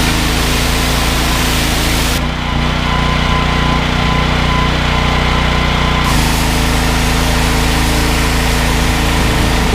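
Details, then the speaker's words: Briggs & Stratton XR2100 14 hp single-cylinder engine driving a 21-litre jetwasher pump: it starts easily and thuds steadily at about 2.5 beats per second, not dying when the trigger is pulled and the pump loads it, a healthy engine under load. "I think that speaks for itself you could hear ie how easy the engine was to start and you can you see on the pressure gears out it's certainly not dying when you pull the trigger"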